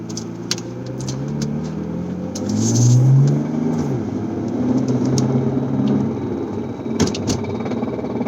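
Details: 2008 BMW 335xi driving, with sharp, uneven clicks over road rumble when accelerating and easing off the throttle; the CV axle is ruled out and the owner suspects the front driveshaft, unconfirmed.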